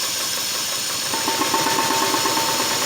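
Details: Horizontally opposed (boxer) four-cylinder engine running on only two cylinders after about five minutes, revs being raised gently; lumpy, uneven beat with rough rattly pulses that balance out somewhat as revs rise; misfire on two cylinders.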